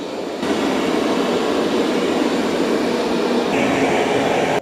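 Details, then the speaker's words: Roborock Qrevo robot mopping and vacuuming at once with its mop pads lowered: steady, even whirring hum with no knocks, catches or grinding; normal mop pad spinning. "All right, the Qrevo's spinning its mop pads."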